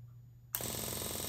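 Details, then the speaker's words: Yamaha Virago 1000 under restoration, after rewiring the starter and repairing the fuel pump, with the battery newly connected. Run switch turned on: silence, then a fast, even ticking buzz. Normal fuel pump priming. "All right I don't know why I'm so nervous but if I turn this run switch on right over here then I should hear the fuel pump come"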